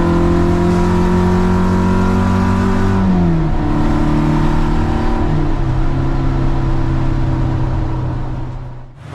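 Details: Old Toyota track car pulling hard through the gears on the Nürburgring Nordschleife: rough, raspy, uneven engine note under load; suspected exhaust leak, possibly loose or snapped, not yet confirmed.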